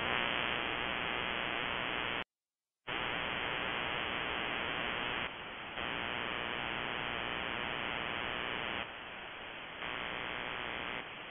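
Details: Shortwave ham receiver with steady broadband RFI hissing buzz static, one short dropout and slight level steps. It persists with the house main breaker off and is on a timer, stopping 7:31 pm nightly and returning mornings. Owner wonders: grow light or powerline?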